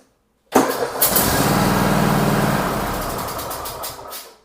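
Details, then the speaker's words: Cub Cadet XT2 mower that started weakly once hot, just after a starter replacement: a brief quick crank, then it catches at once into a steady, even idle, way faster and smoother; the old starter was the problem. "Way faster, way smoother."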